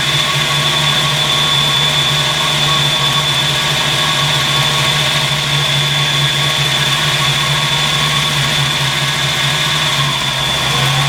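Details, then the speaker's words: 1986 Mustang GT with newly installed Flex-a-lite Xtreme 185 electric fan, warmed up at idle after kicking on; steady whoosh and hum from radiator fan, even and unchanging; fan running normally. "So the thermostat opens around 185. Go ahead and kick the fan on, let it cool off. That way it's not on all the time, or it's not too hot when it kicks on."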